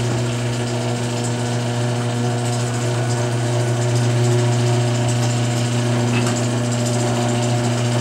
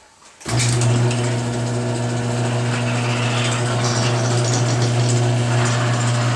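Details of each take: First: Garage door after Royal Purple MaxFilm applied to hinge joints: smooth, even opener hum with only faint roller patter, no creaks or squeaks; hinge joints were the main noise source, now super quiet. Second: Garage door right after Royal Purple MaxFilm: steady opener drone with faint irregular squeaks and creaks; much quieter, remaining creaking suspected in hinge joints, worn metal seen.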